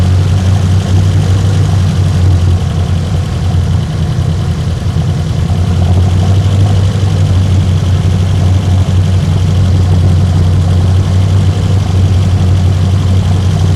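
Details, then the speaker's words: 1972 BMW 2002 with twin carbs and automatic, after timing set with a timing light: fires up easily, unlike before, and holds a steady, even low rumble; normal idle. "it's firing up easy as you heard before it didn't do that"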